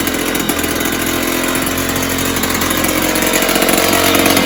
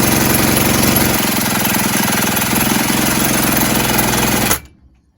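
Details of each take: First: 1970s Puch Maxi E50 50cc two-stroke moped engine bench-started with parts missing: loud raspy buzz with a fairly steady beat that gradually picks up, ticking over of sorts; carb leaking a little, owner thinks carb needs cleaning and tuning. Normal running. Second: 1970s Puch Maxi E50 50cc two-stroke moped engine on the bench, spun by a drill after carb spray: fast, even chuffing about four beats a second, never firing.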